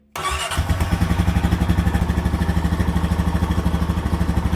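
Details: Honda Rancher 420 started after a new regulator rectifier was fitted, which fixed low charging voltage (previously 12.2–12.5 V); quick catch, then a steady, even single-cylinder idle with no misses. Now charging at 14.3 V, rising to 14.8 V on revs.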